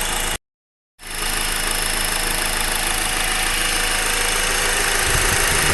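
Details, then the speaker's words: Honda Accord four-cylinder sedan idling, hood open, microphone at the engine block; even rattly diesel-like clatter about 230 ticks per minute over steady idle; normal engine noise. "It's coming from the engine block, it sounds like. Like right there, that's where it's coming from."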